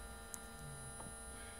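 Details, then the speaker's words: Homebuilt electric car conversion, key on with main power off: quiet steady electrical hum from the 24 V main contactor in the rear buzzing while held in; owner plans trying a 28 V contactor. "if you can hear that buzzing noise that's my contactor in the back of the car back here buzzing away"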